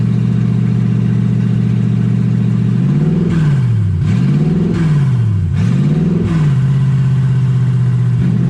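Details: Toyota 1UZ V8 in a Ford Falcon, warm (about 160° on the gauge): idle holds, then revs swing up and down in slow uneven waves on their own; erratic idle, cause not yet known.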